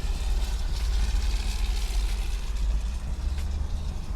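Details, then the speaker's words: 1965 Buick Riviera Grand Sport, 425ci V8 dual quads, about 90,675 miles, serviced, accelerating to about 55 mph: deep even rumble swelling with throttle, secondary carb opening audibly, no misses or knocks; peppy and healthy. "see how she does it's pretty peppy that was to 55 miles an hour we'll test it out again you can hear the secondary carb open up when you give it gas"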